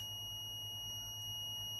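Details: Minelab GPX 4500 metal detector that came back worse from an earlier repair: a steady, unbroken high continuity beep from a connection that is shorted by design, which is normal.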